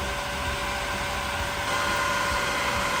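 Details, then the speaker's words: Newly installed self-priming variable-speed pool pump motor running on low setting: smooth, steady hum with constant tone, no knocking or grinding; running normally. "All right, listen to that motor purr. Right now, it's on a low setting. Remember, we installed a variable speed."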